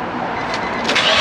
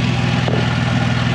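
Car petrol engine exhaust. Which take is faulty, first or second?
second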